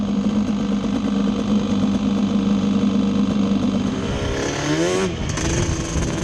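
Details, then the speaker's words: Yamaha Banshee two-stroke twin ATV on a ride after misfire chase (new plug caps, coil swap didn't cure it): carb needles moved back to middle position, even drone climbing cleanly as throttle opens, no popping; miss gone, running normally. "I feel like a complete idiot but the miss is gone so just moving the needles back up to the middle position straightened it out"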